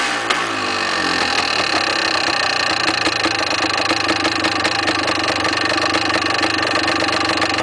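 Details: Yamaha DT400 two-stroke running steadily with a dry, busy metallic rattle over the exhaust note; something loose inside the engine, source not yet found, engine to be opened later.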